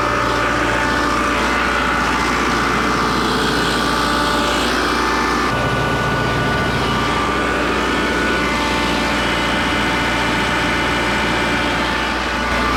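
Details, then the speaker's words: John Deere 4045T turbo diesel in Atlas Copco 375 CFM compressor after thermostat and radiator cap replacement for overheating: loud steady clatter at constant speed, even tone, no knocks or misses; ran 5-6 minutes without boiling over. "I don't like working on these things they are way too loud and if I'm listening for things and looking for things I can't really have ear muffs on cuz then I can't hear it anyway"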